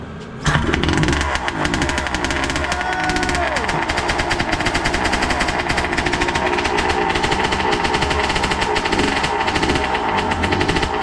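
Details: Suzuki RM80 bored to 135cc two-stroke, carburettor and jets cleaned of debris after it earlier had no throttle response and cut out, barks loud and crackling, fires evenly and revs freely while warming; rich oil mix, smoke easing; runs cleanly.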